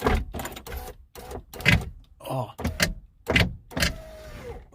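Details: Jaguar power window run during door reassembly gives short, rough, uneven grinding bursts that stop and start each time it moves; the cause of the noisy window is unknown.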